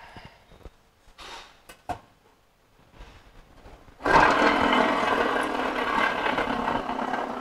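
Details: Nissan X-Trail CVT gearbox opened up, transfer gear side bearing spun by hand: handling knocks, then a dry, gritty whirring rush, a humming sound like a wheel bearing. The damaged bearing is compared against a good one.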